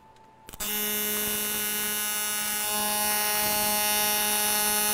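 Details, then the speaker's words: TIG welding scrap aluminum plate in AC; steady even buzz with fixed tone from arc strike, caused by switching between positive and negative sides of the AC wave; normal AC TIG arc. "The sound difference is because we are welding now in AC, or alternating current."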